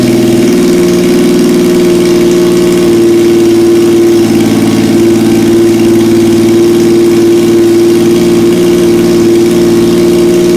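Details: 1977 Yamaha XS750, first start in 30 years, rebuilt carbs, velocity stacks, new oil, filter, plugs, resistors and throttle cable, auxiliary fuel tank: loud steady drone with a fixed note, rising and falling slightly with blips; idles and revs cleanly.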